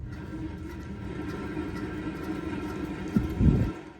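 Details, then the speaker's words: 2006 Nissan Altima rear hub spun by hand on jack stands: rough, low grumbling hum unlike the other side's light pad scraping, then handling clunks; worn rear wheel bearing, hum also heard as muffler-like drone while driving, hub bearing replaced. "when you spin it you hear that just that hum or that I don't know how to describe it but we go to the other side you know it's just different"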